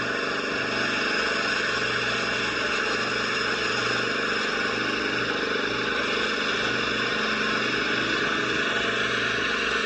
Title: Yeckering muffler rattling/grinding noise